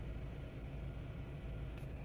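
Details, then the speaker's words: 2007 Volvo XC70 after a P0303 cylinder 3 misfire stumble, idling while codes are read with VIDA: low, even rumble with no stumble or skipped beats; the stumble is gone and it sounds healthy. "It's gone. There's no more stumble. We are totally good."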